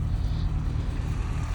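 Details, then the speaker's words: 1987 Austin Mini Advantage 998cc, warm; deep, steady low burble with even firing and no knocks, ticks or misses, sounds beautiful, normal idle. "Sounds absolutely beautiful. This car is absolutely exceptional."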